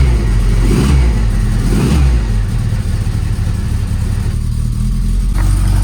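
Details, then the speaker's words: Lotus Elan after fourth clutch job, engine running with oil pressure, oil burning off and a massive blow: two rising rev bursts then rough clattery low drone when clutch disengaged; horrible abnormal noise, cause unclear, engine coming back out. "It's making a horrible noise when I disengage the clutch. Fuck. Oh shit. I don't know what that is. I've never heard that noise before."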